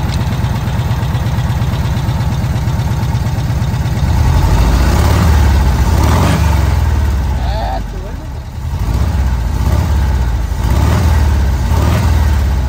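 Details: VW Kombi air-cooled engine after a carburettor jet change: low, slightly uneven idle whose speed lifts and settles as the air screw is turned, then idles steadily with no misses; normal idle.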